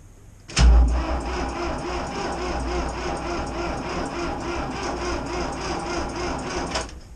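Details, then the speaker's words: IHC 633 diesel tractor cold-starting at minus 10 °C in icy east wind, glow plugs briefly preheated (owner unsure they work), stop lever pulled out to enrich fuel: starter cranks sluggishly about six seconds, no firing; slow crank, no start, likely needs battery change or jump. "Kalt. Ich weiß auch nicht, ob die Glühkerzen vernünftig funktionieren. Normal braucht man nicht glühen. Da war nix."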